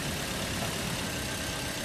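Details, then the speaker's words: Toyota Vios after cleaning a very dirty throttle body, solenoid and filter that made idle drop and engine noisy when hot: steady even idle hum, engine noise and hum gone, no knocking or vibration; normal idle. "Ay, nawala yung ingay ng makina, no? Nawala na. Nawala lang hinig, no? Nawala na rin yung hinig niya."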